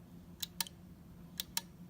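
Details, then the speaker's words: Maytag wall oven control board relay, coil fed about 3 V DC on the bench: two crisp pairs of sharp clicks about a second apart as contacts pull in and drop out cleanly; relay working normally. "you hear that it makes that clicking noise this means that the relay is open"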